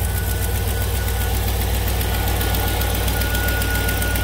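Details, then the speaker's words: 2006 Chevy 2500 pickup with the 6.0L V8 at idle. A quick puffing tick rides on the low rumble, clearly louder on one side, from an exhaust leak that is sometimes mistaken for valvetrain tick. "pretty clear on this side all right so that's that's an exhaust leak that's not that's an exhaust leak"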